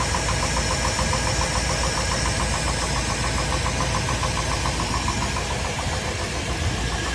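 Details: Chevrolet K1500 engine at idle: a rapid, fairly regular knock of about three to four per second. Owner suspects piston slap or a crank bearing; cause unconfirmed.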